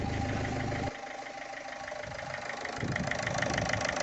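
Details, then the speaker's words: Ford Fiesta TDCi diesel after timing belt replacement, starting on first crank confirming correct timing: settles into steady, even idle with light regular clatter; normal idle. "गाड़ी एक ही self में start हो गई timing fact हो गया"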